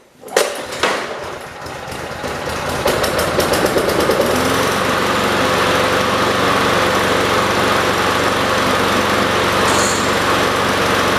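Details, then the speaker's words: Yard-sale Weed Eater (MTD) push mower on old tank fuel after gummy fuel problems: a few sharp pull-start attempts, then catches and settles into a steady, even run; running normally. "yeah i think the gas or the gum i think how gummy that was definitely took a toll on it i think i'm going to put this outside and i'm going to let it run for a while they ran really good"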